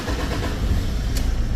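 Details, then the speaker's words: Toyota Fortuner diesel that stalls and won't restart, SCV valve already replaced with no change and rail pressure not rising; catches after cranking with a heavy, slightly uneven rumble then dies. "ก็เปลี่ยนscvวาวไปแล้วแต่ว่ามันติดแป๊บเดียวก็ดับนะครับแสดงว่าไม่ใช่scvวาล์วนี่มันดับเอง"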